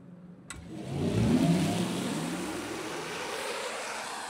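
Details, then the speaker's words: 2025 Mercedes CLA 250+ electric car with 85 kWh battery, heard from outside during a gentle pull-away. A soft engine-like synthetic hum swells with acceleration, then holds steady: normal EV exterior acceleration sound. "Bon attention, je vais vous faire écouter le son extérieur de la voiture. Tu fais un petit démarrage. Écoutez bien l'accélération."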